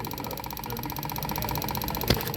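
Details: Toyota idling during a scan-tool active test of the EVAP vent VSV, car has purge fault codes. One sharp click over the idle as the valve is switched on and off, so the solenoid responds normally to the command.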